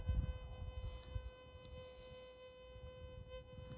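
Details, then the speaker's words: Fisher F75 metal detector during first setup, sensitivity about five, threshold turned up until barely audible; faint steady even hum under light handling noise; normal threshold hum. "the other thing I need to do is my threshold I need to turn that up till you verely hear the"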